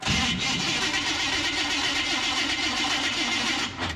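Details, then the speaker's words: 1976 GMC truck 350 V8, usually a one-crank starter, cranks slowly with a harsh, dragging, labored starter whir and no firing on a cold morning; battery sounding weak, alternator output suspected but not confirmed. "Battery sounding weak. We may want to check the alternator and make sure that it's actually putting out voltage to our battery here."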